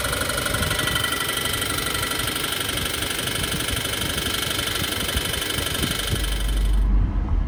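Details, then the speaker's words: Stock 2014 Subaru Forester XT with 2.0 turbo FA20 at 130,000 miles: a deep knock about four times a second, heard only on throttle, from a spun rod bearing. No codes, no smoke, still making full boost. "only hear it when you push on the gas pedal. No codes. Still making boost."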